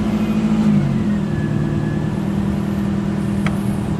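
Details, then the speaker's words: 1998 Toyota Celica GT with a 2.2L 5S-FE after a new Bando belt on the alternator and AC compressor: starts and settles into a steady idle with no squeak at startup; the drive belt squeal is fixed. "and it looks like we fixed the issue because previously you could hear it right away right as you start the car and now i don't hear any squeaking so that fixed the issue"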